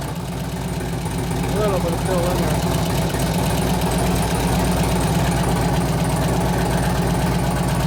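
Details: 2004 Harley FLHT Twin Cam 88 after cam change with new lifters: even idle with a fainter tick than before. About half the noise has gone; owner suspects one lifter still not fully pumped up.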